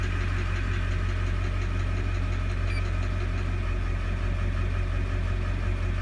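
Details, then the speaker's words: 2001 Chevrolet Duramax 6.6 L diesel idling with the number 6 injector disabled by scan tool: deep, lumpy idle with a skip and the tapping gone, confirming the tapping noise comes from that bad injector. "But if you do the sound of the truck, we got no tapping."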